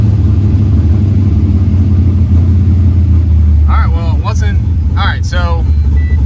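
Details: Pontiac GTO V8 after replacing a bad IAC valve (an '02 Silverado part believed to share the same part number): low, steady, even idle with no hunting or surging. Normal idle after the repair.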